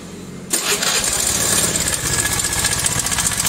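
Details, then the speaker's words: Carbureted Honda Vario 110 scooter at idle: fast, uneven metallic ticking like metal striking metal, from a worn cam chain tensioner. "Bunyinya seperti logam yang berbenturan seperti ini. Suara itu berasal dari sini. Di sini juga sangat berisik."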